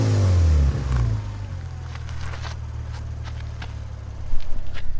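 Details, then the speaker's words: Lexus RC350 with PPE headers and added resonators, recorded from under the car after swapping the Invidia mid-pipe back to stock: a brief rev drops to a deep, steady idle with no rattle, the noise about 85% gone. "so this is from under the car and then we'll go ahead and do one from behind the car so just hang on tight [Music] the noise is gone like 85 percent"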